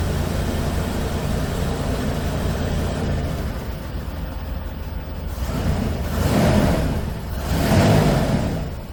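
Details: 1988 Mercury Cougar Foxbody V8, after earlier ignition repair and gas tank cleaning, running on its own fuel system: steady idle, then picks up cleanly on two throttle blips with no misfire or knock; running fine.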